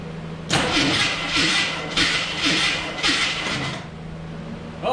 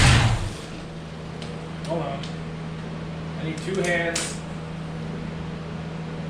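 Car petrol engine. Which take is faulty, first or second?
first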